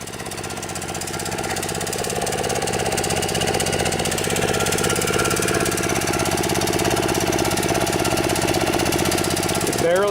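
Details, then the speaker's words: Kawasaki FC150V 6.75 hp single-cylinder engine on a DR TR-1 walk-behind trimmer, stored too long, idles steadily but won't rev up; owner suspects plugged main jet in gummed carburetor while slow-speed circuits still work. "it seems like it'll idle okay just won't wrap up break up what that's telling me is the main jet inside the carburetor is plug"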